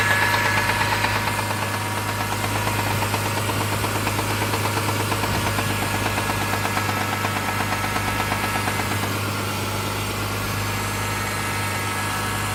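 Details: Mitsubishi 6G72 engine, cold start: quick regular top-end ticking, about three a second, over the idle; stops after 1–2 minutes once warm. Owner suspects hydraulic lifters, not confirmed.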